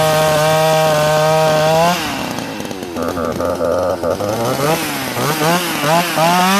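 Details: Sachs Dolmar 43cc chainsaw with timing issues; it holds a strong, clean high buzz, then bogs and rises smoothly under cutting and throttle blips, sounding healthy and crisp.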